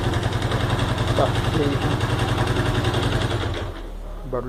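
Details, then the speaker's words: Honda Pop 110 with 34,000 km, owner complaining of engine noise: loud rattly running with fast uneven mechanical clatter over the engine beat; worn cylinder and slack cam chain. "a moto do Batman acabou de chegar essa daqui com 34.000 a 172 reclamando de barulho no motor"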